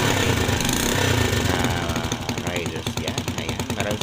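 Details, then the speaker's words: Rusi 125 motorcycle that stalled on the road with no spark, after repairing burnt connectors and wiring: quick, even single-cylinder putter holding a steady beat without misses; running normally after repair. "guys ito na yung ginawa natin guys oh Ayan okay na siya Pati yung mga wirings"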